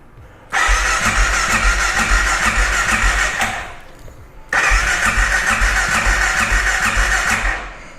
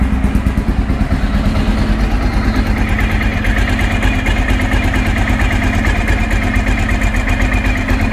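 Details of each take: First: 2012 Honda XR650L, FMF Q4 exhaust, indoors after valve adjustment done for valve ticking: two long electric-start cranking bursts with even compressions but it never catches; owner thinks he ran the carburetor out of gas. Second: 2012 Honda XR650L, FMF Q4 exhaust, after valve clearance adjustment for valve ticking (valves previously too loose): steady, even single-cylinder idle thump with no top-end tapping, sounds a little better; normal idle.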